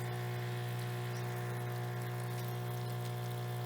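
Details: Propane water heater on a military-trailer overland camp setup, running on a pressure switch with water and propane hooked up; a steady low pump hum with faint igniter ticking, operating normally.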